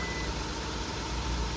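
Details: 2012 Hyundai Azera idling after battery replacement with a non-specific temporary battery; steady, even low rumble with no misses, knocks or ticks: healthy idle.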